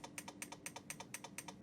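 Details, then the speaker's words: Siglent SPD3303X lab power supply at 8 V into a 1 ohm load, at a transformer tap threshold; rapid even clicks about eight a second over faint hum, tap relay chattering from output oscillation. "we go it's pretty horrific it's pretty horrific I don't see any magic smoke escaping and it's switching the input range current as well the transformer tap as well"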